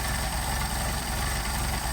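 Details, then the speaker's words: Mercedes 190SL with Solex carburetors, idle measured on tachometer: slow, heavy, loping idle around 550 rpm with deep low thrum, too low; idle screws on both carbs to be raised toward 700-750 rpm. "so running about 550 RPM which is a little on the low side so we're going to move we're going to I'm going to screw in the idle screws right"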